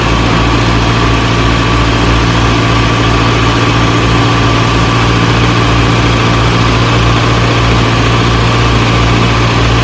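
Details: 1937 Morris 8, 918cc pre-war engine, first run on choke during recommissioning: steady, even idle, constant low hum, no knocks or misses; about 75 psi oil pressure, slight smoke from a little oil getting around the valves.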